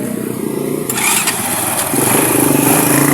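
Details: Battery-operated motorcycle that had been dying while running and then would not restart; after the ignition-switch wiring was fixed, the starter catches within a second and it settles into a steady, even idle, starting and running properly.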